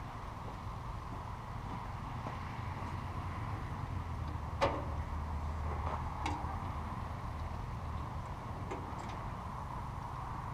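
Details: Farmall Cub tractor after its broken exhaust was repaired: low steady idle hum with a few stray handling clicks. The little engine runs evenly with no exhaust leak puffing.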